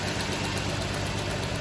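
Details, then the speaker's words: 2008 Chrysler Sebring 2.7 V6 idling unevenly with a steady stumble from a constant cylinder 1 misfire that continued after the owner fitted new plugs. "2008 Sebring, 2.7 liter. This man always put his own plug plug in. Got a constant misfire."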